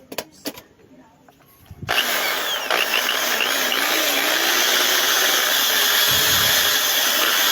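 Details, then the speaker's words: Electric drill after re-greasing its gears: spins up and runs with a steady high whir, even and quiet with no grinding or gear chatter; normal running. "Yan, mga ka-repairman, no? Tahimik na."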